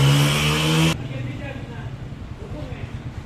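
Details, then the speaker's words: Honda 125 single-cylinder motorbike after complete tuning, tappets set with 0.05 mm gauge and 75 ml oil added: short loud burst, then quiet, even beat with no tapping or rattle; runs smooth and healthy. "Smooth हो गई है जी, और sound भी बहुत अच्छी होगी और pick भी अच्छी होगी।"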